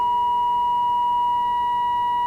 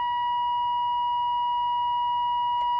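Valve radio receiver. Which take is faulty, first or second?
first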